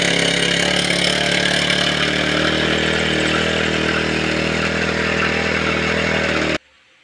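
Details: Grass cutter (brush cutter) two-stroke engine that would not start, after repair: steady buzzy note holds with no stumbling or surging until shut off — normal idle.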